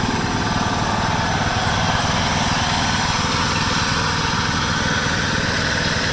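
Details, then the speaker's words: 1996 John Deere LX176 lawn tractor, Kawasaki single-cylinder, sat years on old gas and fairly old oil, carb not gummed: steady even run at fast idle, no knocks or misses; normal running. "I figured at least the carb would probably be gummed up from having all that old gas in the lines, but I guess not."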